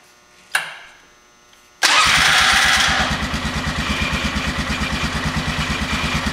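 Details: 2000 Polaris Sportsman 500 ATV after starter replacement: a click, then a quick crank; it catches at once and settles into an even idle of about three pulses a second. Starting fine.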